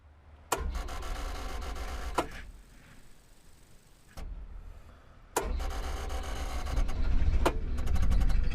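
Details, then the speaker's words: Hitachi UH043 excavator abandoned 16 years in woods, water drained from hydraulic tank before starting: a few sharp clunks, then the diesel catches and settles into a low steady rumble that builds slightly; it runs and most controls work. "Well, she's a runner. Um, most of the controls work."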